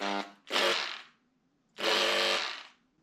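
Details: Broken power tool motor with new brushes fitted, before further diagnosis; short harsh bursts of coarse rattly whine that spin up and die quickly; later burning smell and smoke, reverse gear stuck on forward; rough-running, likely failing.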